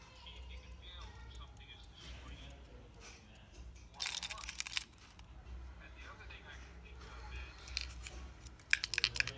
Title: Go Pro- Complaint- Rattling sound from Inside- All Option tried- Full Video